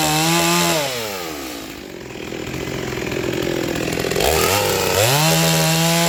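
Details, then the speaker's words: Rebuilt vintage Stihl 036 chainsaw with aftermarket Meteor piston and cylinder, new crank bearings, seals, muffler, clutch, rebuilt OEM carb, roughly sharpened test chain; high rev drops smoothly into cut, holds steady under load, climbs back cleanly; healthy. "oh wow she cuts [Music] good my chain sharpening skills aren't the greatest"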